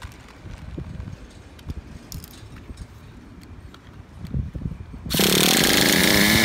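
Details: Traxxas Revo 3.3 nitro RC truck engine: some fumbling, then a sharp, high, steady buzz from about five seconds, running clean and even. Engine healthy; transmission, stripped spur gear, starter motor and one-way bearing need replacing.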